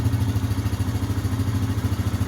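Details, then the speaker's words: 2016 Yamaha Kodiak 700 EPS special edition, fuel-injected, 4WD, warmed up after a fresh oil and filter change and checked for leaks; steady low thumping idle with even pulses, no ticking or knocking; normal warm idle. "All right, so it should be warmed up. Everything should be good and warm."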